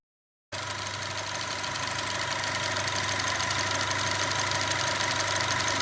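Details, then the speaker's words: 2010 Alfa Romeo Giulietta QV 1750 TBI, hot idle; uneven lumpy wavering pulse about three beats a second over engine clatter, idle must be held up to avoid lumpiness; rough idle persists despite cleaned sensors, boost pipes, throttle body and PCV work, cause unknown; owner doubts coils. "Yeah, I have to keep the idle up, otherwise it drops into the lumpiness."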